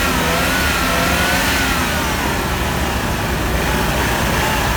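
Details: GMC 2.8L four-cylinder truck engine running smoothly and evenly on all cylinders after replacing cylinder 3 ignition coil broken during timing chain repair; steady firing beat, no stumble, no scanner codes.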